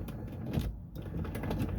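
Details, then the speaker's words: 2009 Honda Element power window: motor runs with faint rattling clicks and scraping because the window regulator cable is broken. "in this case you can hear the motor but you you can also hear the cable like is broken so that sound is doing is for a cable that is broken"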